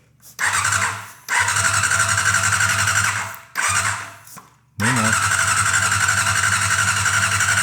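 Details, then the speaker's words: 1990 Honda CBR600 stored outside ten years, carburetors fogged with gasoline; three bursts of steady starter cranking with whine on top, never catches. "Well, we can't have it all. I was hoping we could have it all."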